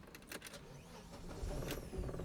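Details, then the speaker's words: Audi Quattro starting on the second attempt after a new intake idle control valve; starter whirs, engine catches into a rough settling idle. Starting is inconsistent, with throttle hang and idle sometimes sticking at 3,000 rpm; cause unclear. "Sometimes it starts easy, sometimes it doesn't."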